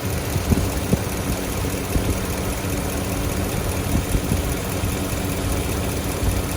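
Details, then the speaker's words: Engine idling with Amsoil engine flush added to the oil: steady idle with a sharp irregular tick about once a second from a sticking fuel injector; otherwise runs smooth. "You can hear the injector sticking, but other than that, I think it sounds great."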